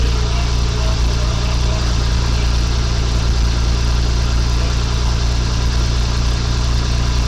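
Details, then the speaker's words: 1985 Chevy C10 with new custom exhaust and overdrive transmission, camera by the tailpipe, just started without coolant circulating: deep even burble at steady idle, slightly loud, no ticks, leaks or misses. Normal idle. "you can kind of hear it back there but a little louder than I want it to be but it'll be okay it's got an overdrive transmission"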